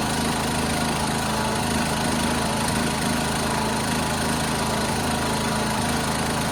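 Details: 1976 John Deere 300 tractor with a binding starter, running after a hard start: an even, steady idle with a low, regular rumble and no misses or knocks; running normally.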